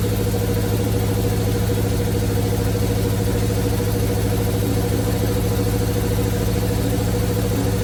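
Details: 1971 Chevrolet C40 truck V8 after carb cleaning: steady, even low burble at idle, no misses or hunting; running really well, blow-by minimal.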